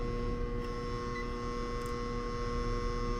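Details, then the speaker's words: Apartment condenser unit: steady low electrical hum with no fan whoosh, labouring without starting properly; one supply leg reads nothing while the other gives about 120 V, so the compressor and fan motor are struggling. "either way though it doesn't sound good at all compressor struggling everything's struggling check this"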